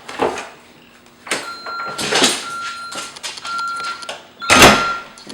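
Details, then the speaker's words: Home alarm system entry: door opened with a key while armed, and a steady high ~1.3 kHz beep repeats in short runs between door thuds; the 60-second entry-delay warning before disarming. "And so the first thing you would do is that you would put the key in the door, open the door, and the alarm will go, let you know that it's been activated."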